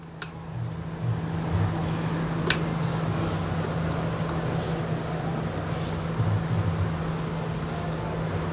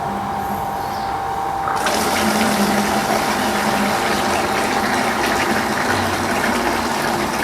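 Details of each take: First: Water pump switched on in automatic mode with the DIY PCB low-water cutoff controller (well-level sensors) installed; steady even low hum, no knocking or rattling: normal pump operation before the lower sensor shuts it off. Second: Water pump drawing from a simulated well until the water runs out; with no auto-cutoff yet the pump keeps running, its flow turning to a hollow, hissy gurgle as it sucks air: pump running dry.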